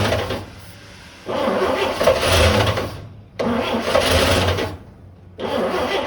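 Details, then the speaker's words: 1955 Chevrolet 3100 pickup, unrun for years (last inspected 1993), new points, coil and coil wire, fuel poured down the carburetor: uneven cranking bursts with ragged sputtering that catches briefly then fades; misfire from number 1 spark plug loose, finger tight, and number 2 loose. "Spark plug is loose in the number 1 hole. The spark plug there was just finger tight. Ain't no spark coming through there."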